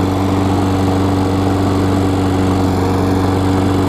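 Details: Craftsman self-propelled mower with a Tecumseh engine about 20 years old, cold start on old gas after the loose, backwards blade that caused a turnover clunk was fixed. It starts on the first pull and runs steady and even with no clunks or knocks.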